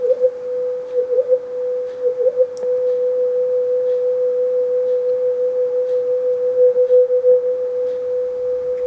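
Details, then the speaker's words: NUX Mod Core digital guitar pedal after repair of a faulty DAC signal: clean steady test tone with gentle slow wavering as the modulation effect sweeps speed; normal modulation effect output. "don't know what effect I've got on I'm just but I can hear that changing speed in may not come across very well on video that's working"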